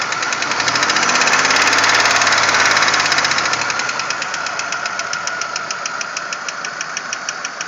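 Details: 1997 Pontiac Grand Prix GTP idling with a weird, steady sharp knocking noise tapping about three to four times a second.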